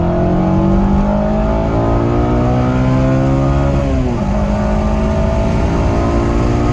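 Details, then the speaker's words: 8th gen Honda Civic Si accelerating hard in second gear after replacing the VTEC solenoid/spool for a P2646 code that previously caused limp mode, limiting it to 4K rpm: note climbs and hardens, dip at shift; VTEC engages hard, no check engine light. "Seems like it's working. It seems like it is working. Vtec is cracking, and it's cracking hard."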